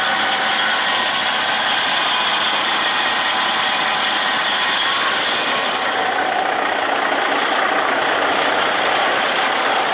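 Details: Freightliner truck diesel with turbocharger replaced the previous night, checked before a test drive: steady, even diesel roar with a clean rushing hiss, no flutter or rattle; new turbo boosting normally, sounds good.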